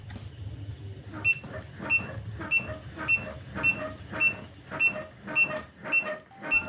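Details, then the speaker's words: Prestan Series 2000 CPR manikin: short, clean beep with each compression thump about every 0.6 s, meaning the correct 2-inch depth is reached; shallow compressions give no beep. "Once you've hit the correct depth of 2 inches, you will hear an audible beep when doing your compressions."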